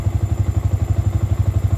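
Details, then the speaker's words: Cold-start idle on a Yamaha New Vixion single after clearing scanner fault codes (bike had severe hesitation/brebet and stalling): steady, even single-cylinder thump around 1300–1400 rpm, cold engine, running normally. "Oke, kita kontak on teman-teman kita nyalakan motor nyala. RPM 1300 1400"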